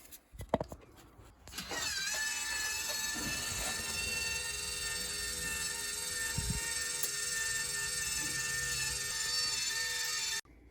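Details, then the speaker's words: Whirlpool water softener control valve motor, after it ran continuously: steady high-pitched whirring about nine seconds, then stops cleanly; motor now homing and stopping normally. "well it sounds like it's doing something it stops spinning so hopefully it's working"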